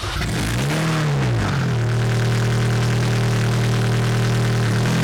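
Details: 2006 Mini Cooper S R53 after replacing the broken cylinder head: cranks briefly, catches with a rising rev, then settles into a steady, even idle with no knocks or rattles; normal start and idle, some exhaust smoke, no obvious leaks.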